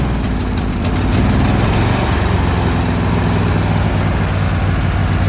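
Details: Zero-turn mower engine just started after sitting about 12 hours, idling with blades (PTO) on: rough, stumbling, wandering rumble as it bogs and struggles to stay running; better than before the valve adjustment, when it died completely; dies under drive load.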